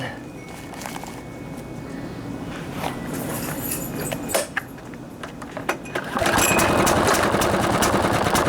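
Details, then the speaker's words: Murray lawn mower reported not running right, with oil near the air filter; fires unevenly, stumbling and surging, then picks up briefly; runs rough and stalls, suspected oil-plugged air filter. "so what that sound like to you boys I bet you anything because there's that oil there uh that we have an air filter that's plugged with oil"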